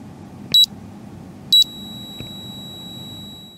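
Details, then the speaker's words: EEVblog BM235 multimeter with the backlight on: after a button beep, a faint steady high whine around 4–5 kHz, silent when off; piezoelectric singing of ceramic capacitors in the backlight inverter/charge-pump circuit. "You clearly heard that tone there. It's around about 5 kilohertz or so, and it's clearly coming on when you turn the backlight on. Otherwise, it's completely silent."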